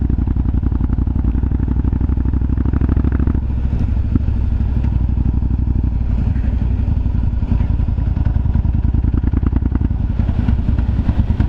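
Loping V-twin idle with occasional sharp pops and crackles breaking through the low thump from the exhaust.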